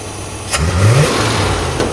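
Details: Scout not run in 18 years, timing now 12° advanced, idle turned down slightly: smooth steady idle picks up crisply on a quick blip and settles back evenly; engine sounds healthy and responsive.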